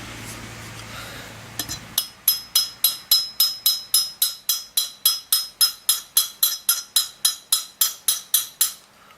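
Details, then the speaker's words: CZ Shadow 2 pistol reassembly: trigger bar hole centred with the frame, pin tapped in with a punch and light even hammer taps about three and a half a second, no forcing or binding; pin driving in correctly. "Voilà, oui, elle rentre. Doucement, pas la peine de forcer. Vous voyez, ça rentre tout seul."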